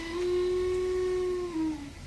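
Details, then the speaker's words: Toyota Corolla Altis single radiator/condenser fan, A/C switched on, heard in engine bay: loud jet-like steady droning whine at one pitch, sagging as fan slows; faulty fan motor, worn bushings letting armature wobble. "Waduh, kayak mesin jet nih. Suaranya kencang banget."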